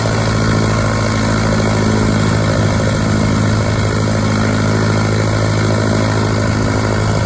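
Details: 1946 Piper J-3 Cub, first start of new engine, last run three years ago on test stand, turned weekly: steady low even popping at lazy idle with propeller wash, no misses; normal idle.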